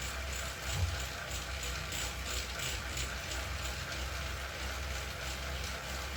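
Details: Wahoo KICKR CORE trainer with Zwift Ride, strapped to a rocker plate, gives rapid, steady ratchet-like clicking through the pedalling over a low drone; apparently a known trainer issue, and the unit was replaced with a KICKR CORE 2.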